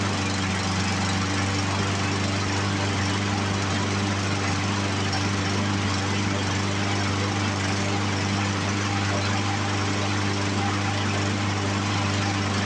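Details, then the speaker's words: Poulan Pro push mower, Briggs & Stratton 550EX engine, after carburetor cleaning, first pull: steady, even single-cylinder drone with no surging or misses; carburetor issue fixed. "first pull, much better than it was. And let's try to restart it without primer."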